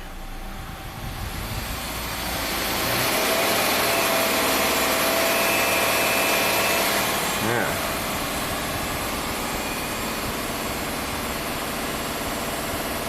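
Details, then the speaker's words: Subaru A/C compressor running with engine on while recharging refrigerant, about 1.5 cans of 16-18 oz: harsh raspy steady drone like a chainsaw over engine; compressor sounds abnormally noisy. "this compressor sounds kind of like a chainsaw probably not a good thing"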